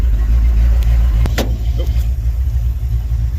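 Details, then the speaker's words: Sweptline truck with a rebuilt vacuum-secondary Holley carburetor, warming idle at about 800–900 rpm: steady deep rumble, no hunting or stalling, a few handling clicks; stable idle, though the owner may still back out an over-tightened screw under the carb. "Well, it is idling pretty low, and it's stable. It's not trying to shut off or anything."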